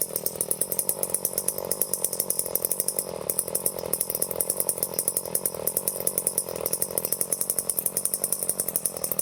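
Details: Late-1970s Power Mac 320 two-stroke chainsaw, unused since early 1980s, after carburetor rebuild and metering lever set lower: quiet, steady buzz with an even rapid beat, no surging or stalling; runs cleanly.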